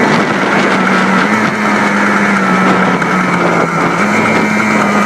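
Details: Yamaha Blaster two-stroke test run after rebuild: buzzes steadily with small throttle pitch shifts, no rattles or misfires; sounds healthy.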